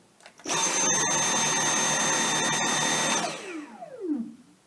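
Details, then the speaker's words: Dyson V7 cordless stick vacuum switched on right after the V6 for comparison, heard through a basic microphone: a steady high-pitched whine for about three seconds, then a smooth spin-down; less high-pitched and quieter than the V6; normal running. "Now, the V6 has a bit more of a high-pitched sound than the V7. Here's the V7."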